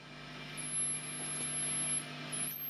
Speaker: so back to the lead Channel and crank that up again till it oscillates